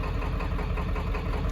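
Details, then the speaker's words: 1995 Ford F350 with a 7.3 Powerstroke diesel, running after about 10 years: heavy idle that is a little shaky, knocky and noisy, like an occasional miss. The owner suspects injectors but can't read live data, so this is unconfirmed. "Little shaky, little noisy at idle, like it's got a bit of a miss. I don't know, could be injectors."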